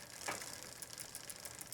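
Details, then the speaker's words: Schwinn Le Tour bicycle on the big chainring under pedaling torque: quick, uneven dry clicking with felt resistance at the rear. The owner suspects rear derailleur alignment, unconfirmed. Drivetrain clicking. "either there's a clicking there it doesn't run smoothly"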